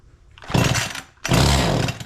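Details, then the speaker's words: Echo CS-271T two-stroke chainsaw, idle mixture backed out: it screams up high and hangs, then drops away, running lean. The owner believes it has a leak drawing air. "that tells me it's got a leak, especially when it started to ramp up. It was running the chain and everything, like it was getting faster and faster and faster."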